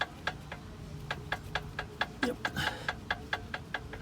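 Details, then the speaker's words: Cheap aftermarket tie rod end on a Jeep Patriot, knocking when wheel rocked by hand: quick, steady sharp clicks from a loose, worn tie rod end. "this is what a chip aftermarket tire rod end sounds like I'm just pulling it"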